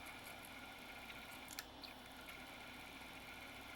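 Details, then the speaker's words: NEC Intersect CDR-84 CD-ROM drive with a weak laser, reading a disc; faint fast whirring with irregular sharp clicks and a seeking burst as the servo goes way out of control; capacitor issues suspected though none visible. "yeah we did actually we do have a problem did you hear that Servo lost way way out of control that Servo went way way out of control this thing might actually have capacitor issues even though they're not visible"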